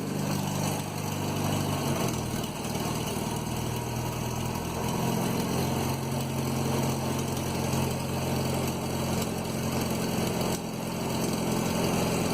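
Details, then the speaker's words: 1967 Land Rover Series 2a 109, first start after a cylinder head rebuild, carburetor and distributor untouched, choke out; steady, even idle with a low, smooth beat and no knocks or misses, running smoother than expected. "keep the water out she's actually running even smoother and I thought"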